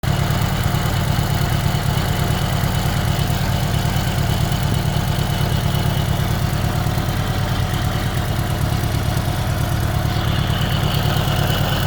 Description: 1983 Honda GL1100a ticking on left side